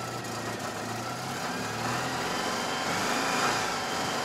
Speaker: so this is running that's good very cold up right